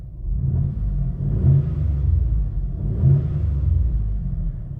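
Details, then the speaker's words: V6 EFI Mitsubishi Delica L400 4x4 after an exhaust mod, recorded inside the cab: deep steady rumble swelling twice as revs rise and fall, with no knocks or rattles. Sounds more powerful than it really is; the exhaust is healthy. "a lot more powerful than it really is. It's probably also now got a lot more guts than it did have."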